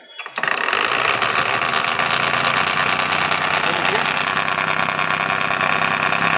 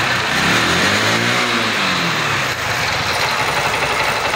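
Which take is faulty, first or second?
first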